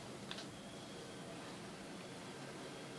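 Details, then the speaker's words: Acer Aspire One D250 netbook after replacing the cooling system and keyboard: very faint, steady, soft whir with no rattle; the fan runs quietly and normally. "Слышите, работает. Работает родной. Тихонечко."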